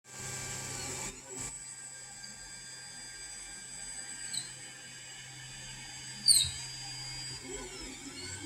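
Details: Ender 3 3D printer: steady motor whine broken by short high-pitched squeaks at three spots on the X axis moving right, none moving left; filament also extrudes squiggly along X.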